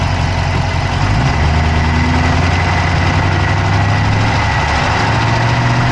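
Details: Dodge Charger Hemi V8 at idle, recorded inside the passenger-side engine bay: a steady idle with a quick, even ticking riding on the rumble; a fast clicking whose source is not pinned down.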